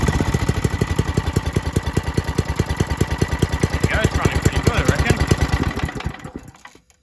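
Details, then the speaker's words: Old Briggs & Stratton 5 hp water pump engine after fitting new carburettor: steady single-cylinder thump at even beat for about six seconds then winds down and stops; starts and runs normally. "Everything's back together, and it seems to start and run pretty alright now."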